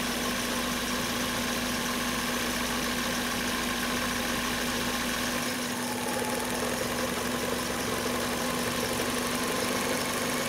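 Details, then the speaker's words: Mazda engine at idle during an alternator not-charging test (blown fuse): bulb-circuit bypass jumper touched to the bulb-circuit pin, and the idle hum drops slightly and settles lower as the alternator kicks on and starts charging. "just got a little bit lower idle speed. My bulb is dim, not really relevant for this. Take it back off. Definitely heard that alternator kick on."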